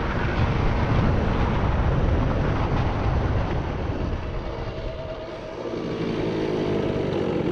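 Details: Research scooter with machined front variator pulley, 3.4 g rollers and carburettor needle raised one notch; revs up quickly off the line but stutter and sag unevenly as it pulls; misfire under acceleration.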